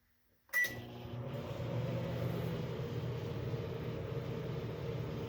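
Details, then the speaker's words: GE JVM1540SN1SS microwave after a jumper bypasses the faulty door switch, running on the beverage setting with water inside. After a start click comes a steady low hum with fan whoosh and the turntable turning. It heats normally, making noise it didn't make before. "Alright. Yeah, it's working, I guess. It's turning. It's making noise now. Didn't do that before."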